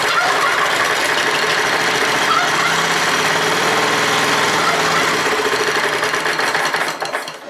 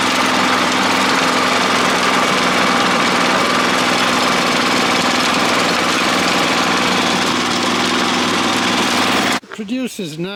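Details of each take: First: Neglected Honda F810 rotavator, a long-standing non-runner: fires on petrol dropped into the carburetor, runs briefly at about four beats a second, then fades out starving. Carburetor blockage suspected; idle jet screw checked next. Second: Honda F810 rotavator with tiller box, bought as a non-runner after two to three years standing in a field and revived: steady, even engine roar under tilling load, no knocks, misses or surging; running healthily.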